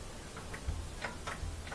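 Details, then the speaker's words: Kenmore top-loader washer (Whirlpool direct drive) lid switch reinstalled after its cracked case was zip-tied; sharp light clicks as the lid striker hits the switch cleanly, so the switch works normally. "okay let's make sure we eat the click this thing's gonna come down hit there"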